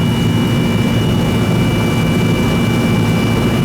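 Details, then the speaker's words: Old R-22 Goodman AC that was running but not cooling, after service: steady, even low compressor hum under constant fan rush with no knocks or cutouts. Running normally, just loud and growly. "Still running. All I care about. Noisy, but still running."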